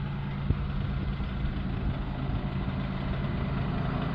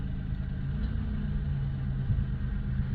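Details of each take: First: LN3 3800 V6 (1988–91) on ramps at idle; a noise appeared overnight, only at idle with AC on. When the AC switches on, a light irregular clacking, seemingly from a pulley, starts. Worn harmonic balancer; the noise was worse the previous night. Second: LN3 3800 V6 (1988–91), idling with AC on after the harmonic balancer (crank pulley) was replaced: low, smooth, steady rumble with no knocks, ticks or wobble. A clean, healthy idle.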